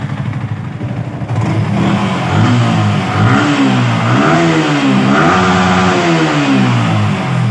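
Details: Yamaha R15 V3/V4 engine, checked for engine and VVA noise: several clean throttle blips, pitch rising and falling smoothly with no rattle or tapping; revs up and returns cleanly.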